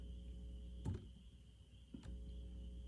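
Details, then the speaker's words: Harman Kardon 330B receiver (likely early-mid 1970s) with top and bottom covers off: low mains hum that drops away when chassis is touched, grounding it; hum from missing cover shielding, should be quiet with covers on. "so there's i can hear a slight hum right now let me qualify that by saying the bottom cover is off the top cover's off and some of these older receivers require the covers to be on for shielding for part of the ground plane"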